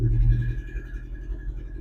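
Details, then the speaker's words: 1961 Chevrolet Apache 10 pickup 327 V8 first start after 3 years sitting: low, uneven, lumpy rumble with dips, possibly not firing on all 8 cylinders; oil pressure near 50 psi; cause unconfirmed. "That's not sure if all 8 are firing yet. Got oil pressure."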